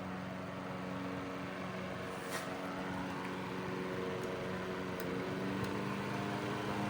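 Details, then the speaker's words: 1941 Gilbert 12-inch fan on low speed drawing 0.51 amps: quiet, even motor hum with steady tones and no ticking, rubbing or rattle; running smoothly, normal. "And there's no strange noises to this. It actually sounds like a machine, not some piece of junk."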